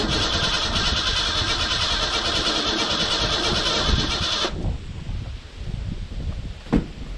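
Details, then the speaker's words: Abandoned 1991 Ford Ranger STX sitting over 10 years, untouched fuel system with old fuel: starter spins steadily about three beats a second, never fires, no fuel pump hum heard; owner suspects failed pump or chewed wire; crank no start. "i'm also not hearing a fuel pump so that could be why i quit running it too maybe the fuel pump came out or it might just be a wire chewed"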